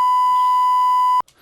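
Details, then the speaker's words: DBX 286s channel strip, faulty input stage/preamp: a steady test tone holds, then cuts out abruptly with a click; very low volume, a pop, then normal levels again. "and here you also have this popping for example so if you have this very this issue with very low volumes a pop and then normal levels again this is exactly this issue silent normal"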